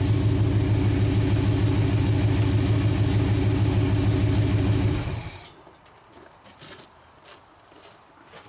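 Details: 1946 Dodge truck first start in decades, idling with generator belt removed to isolate a noise: steady even idle, regular low beat, no whine or rattle, then clean shutdown; engine quiet.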